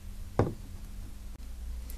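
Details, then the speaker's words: Starter solenoid clicks, then a weak mechanical knock and no crank: the starter pinion (bendix) jams against damaged, battered ring gear teeth on the flywheel (demo uses a gear in place of the flywheel); fault appears intermittently depending on ring gear position. "в результате при каждой попытке включения стартера будут слышны только щелчки втягивающее реле и звуки слабого механического удара"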